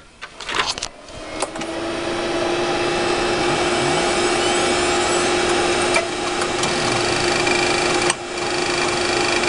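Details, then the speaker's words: 1 GB Western Digital Caviar 21200 IDE hard drive in old computer at power-on: a metallic clink during seek test then steady spin-up hum, new in recent days; owner fears click of death, though surface scan found no bad sectors. "You hear that clink noise that it made? It never used to do that until just a few days ago. I'm wondering if that's like the beginning of like the click of death or something."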